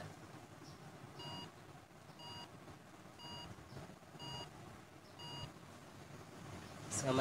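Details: HP desktop computer that will not start or shows no display: four short even beeps about one second apart over a quiet room, then silence; a four-beep startup error code.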